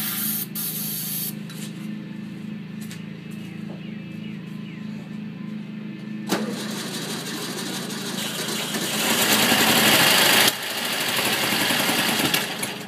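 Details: 1964 VW Bug air-cooled engine on its first start after sitting over 10 years: steady chattering beat, then a louder rushing roar as it picks up and runs on its own.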